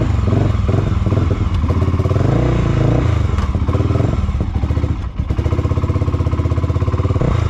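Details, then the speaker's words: Honda GB500 single, cold start with choke on: thumps unevenly, revs sag and dip near five seconds as it nearly dies, then catches and stumbles on; won't hold idle; cause not yet known. "it's like it wants to stay started but it doesn't want to stay started its mind is very not made up on what it wants to do on idle right like it starts for a second turns off"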